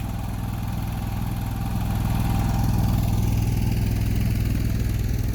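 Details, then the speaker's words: Newly installed Onan 5500 (5.5K) LP propane generator in a 2000 Newmar Kountry Aire 5th wheel, running about an hour after install and LP leak test: steady, even low hum with constant beat, no misses or knocks; normal running. "been running it for about an hour now everything seems to be doing fine now so I think that's pretty much it"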